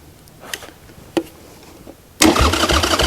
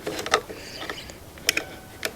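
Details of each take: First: 1996 Harley-Davidson Sportster 1200, wrecked years ago and stored in a garage: after a couple of clicks the starter spins the engine with a quick, even chug for about two seconds; cranking sounds strong and healthy. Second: Wrecked 1996 Harley-Davidson Sportster 1200: a few sharp dry clicks with nothing turning over; starter not cranking, apparently because power dropped out at a loose connection, restored once contact was re-made.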